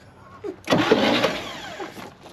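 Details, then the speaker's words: 1960 Chevrolet Bel Air off the road 45 years, first crank via the starter solenoid after oil pressure was built: one harsh grinding rasp under a second as the starter engages; suspected rust chunks or mud dauber debris in the flywheel. "It's got to be in the flywheel. Yeah, I think it was clunks of rust, or maybe mud dauber or something in there."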